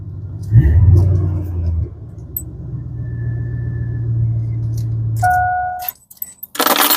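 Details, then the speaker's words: 2000 Chevy Silverado 5.7L V8 at idle, with the exhaust cut off at the muffler right under the cab so fumes enter the cab: a deep, loud, raw rumble, louder than stock, from the exhaust leak. "The exhaust fell off. So, there's a muffler cut off like right underneath the cab. So, when you're driving down the road, you get all the fumes in here, which is why I would like for my mother to have windowage."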